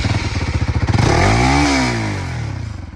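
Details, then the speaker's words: Bajaj Pulsar NS200 BS7 after one year: engine revving with loose metallic rattle about four knocks a second over exhaust beat, from footrests/footpeg mounts gradually loosening, rattling even in normal riding. Footrest rattle. "लेकिन भाई, तुम्हारे पैर रखने वाले stand वगैरह, जिन पर तुम अपने पैर रखते हो, वे धीरे-धीरे ढीले हो जाते हैं। और जब हम साइकिल चलाते हैं, चाहे हम सामान्य रूप से ही क्यों न चलाएं, तब भी उससे आवाज आती है।"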